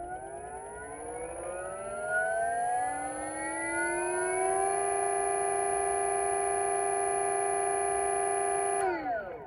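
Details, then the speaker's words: Ferrari go-kart with a new sensored Flipsky motor during the ESC tool's motor auto-identify and full-load current test: several whine tones rise together, hold a steady pitch under load, then fall away; normal motor whine. "what it does is it Otto identifies the motor so it makes some funny noises and it spins as you can hear now and as a full load current test"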